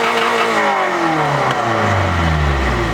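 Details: Honda Prelude, idle had been hanging at 1000–3000 rpm; cold air intake removed, throttle cable routed wrong: engine fires and screams straight to a sustained redline howl with no let-off; throttle stuck wide open, clutch smoked.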